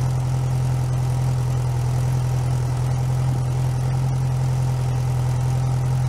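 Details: Rebuilt 1641 VW Type 1 air-cooled flat-four, bench-started outside the car, first run with choke mostly closed while cold: steady, even low drone with a smooth pulse and no knocks or ticks; normal idle.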